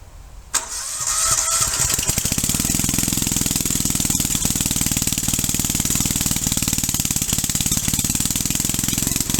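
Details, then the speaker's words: Rebuilt small engine with lightly honed bore and oversized rings, driving a hydrostatic unit through a flywheel driveshaft: catches quickly, then a sharp regular rap on every stroke over the exhaust. Piston slap, expected after the rebuild. "I knew I was going to get piston slap and I do have piston slap in it"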